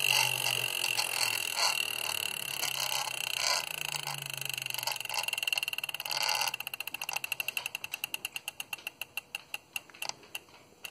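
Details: Wahoo KICKR trainer spinning down: a high whirring with a rapid ticking that slows and spaces out as the flywheel coasts; the source of the tick is unclear.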